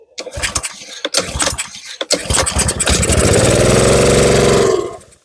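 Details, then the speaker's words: Simpson pressure washer with a Honda GCV190 that won't run after storage. Given fuel, it pops, catches and runs briefly with a rattle, then dies within about two seconds. Stale fuel or a clogged carburetor is suspected. "Runs and dies. So, let me give it a couple more pulls just to double check. Yep, it's not running on its own."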